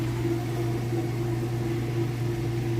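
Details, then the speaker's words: Kenmore top-load washer on its inspection demo, drained and spinning up to full speed: a steady low motor hum and even drum whir with no knocking, scraping or thumping. The lid switch stops it and the brake works. Normal spin cycle. "We'll open the lid, show you it's spinning nice and fast. It's nice and smooth."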